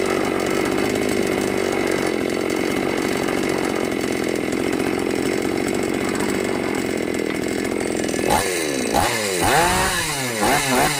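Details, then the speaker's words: New Magnum G11 chainsaw after removing the carburettor restrictor (it previously bogged and stalled on throttle): steady high rasp, then clean quick revs rising and falling without stumbling; normal running and revving. "เมื่อกี้ที่เร่งแล้วเหมือนน้ำมันไม่ขึ้นเร่งแล้วดับมาเปิดสวิตช์ลงล่างยเล่งได้ปกติ"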